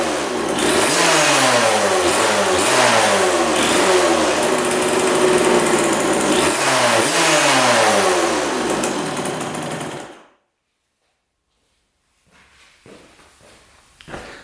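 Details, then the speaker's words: 1999 Suzuki RM80 two-stroke, after earlier backfiring through carb or pipe (owner suspected sheared flywheel key): crisp repeated revs up and down, clean and responsive, no popping, then shut off; sounds much better. "well that sounds a lot better what the heck"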